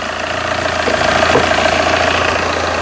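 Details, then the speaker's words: 15-year-old Tata diesel car, started after standing parked: starts quickly and settles into a steady, even diesel clatter with a smooth low drone, no knocks or misses; owner advises idling 2-3 minutes before heavy acceleration; normal idle. "இப்போ வந்து எவ்வளோ குயிக்காக start ஆச்சு அப்படிங்கிறத நீங்கள் பார்த்தீங்க."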